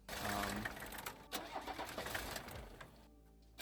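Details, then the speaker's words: 1984 Mercedes diesel wagon, long sitting, after new fuel filters: uneven cranking that catches and settles into lumpy diesel clatter once fuel arrives; owner notes a weird tick that worries him; engine cranks and starts. "Um, so you can see me putting the new fuel filter on, and then I'll cut to where you can see me uh the engine shutting off"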